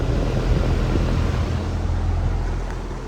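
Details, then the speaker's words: Goodman AC outdoor unit: condenser fan runs but compressor doesn't start, low steady electrical hum that stops when it kicks on; failed capacitor, fixed by capacitor change; coils somewhat dirty. "but if y'all heard that humming and then it stopped when it kicked on"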